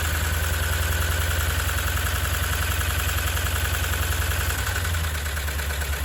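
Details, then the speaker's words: Replacement Hemi V8 in a used truck on first start after sitting a long time, no coolant fitted: loud busy valve train ticking over steady idle; owner expects it to quiet once coolant is in. "not too bad sounds a little loud right now but it's been sitting for a while so we'll see if it comes out of it"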